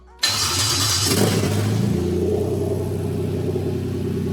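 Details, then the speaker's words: 1JZ-GTE VVT-i from a Toyota Crown JZS171 swapped into a Lexus IS200 with a manual gearbox on a new plug-and-play harness, first start: a quick crank catches at once and settles to a steady, even idle; a normal, healthy start. "Okay, so that starts up."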